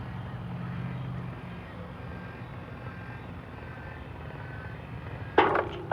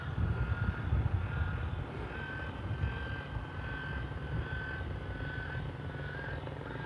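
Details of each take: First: Chamberlain LiftMaster LA400 gate operator, which should soft close, starting slow and speeding up: motor hum runs and fades, then two sharp clanks half a second apart as the arm slams into its travel limit without slowing; no soft stop. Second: Chamberlain LiftMaster LA400 gate operator after repair with new motor kit and control board, cycling on the single button after limits saved; low steady motor hum while traveling, a few clunks at stop: normal gate operator cycle.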